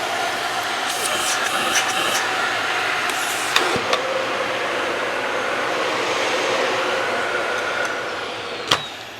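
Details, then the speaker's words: Dyson Ball vacuum, motor test: a steady, even rush of air over a constant mid-pitched whine with no surging, rattle or grinding. The motor sounds healthy. "So I think the motors are good. Everything looks good on this."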